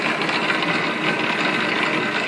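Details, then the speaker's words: BV20 lathe with a newly added idler gear giving tumbler reverse to the leadscrew, change gears set for 2 mm pitch, running in the normal forward direction: steady, even whirring and gear chatter with no knocks or grinding. "so it's just a little bit of a test run at speed round right down hit the Go button very exciting a normal for direction"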